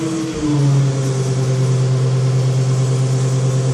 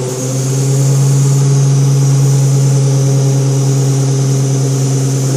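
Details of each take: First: ZF 5HP24 automatic gearbox on an EV motor under Arduino control. When drive is selected, the motor hum drops in pitch to a steady, loaded drone as the controller raises line pressure and engages first gear, and the output shaft turns slowly. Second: ZF 5HP24 automatic gearbox in EV conversion under Arduino control, warming up, line pressure controlled; steady low hum with bright hiss: relief valve blowing off as line pressure is reduced, suspected, not confirmed.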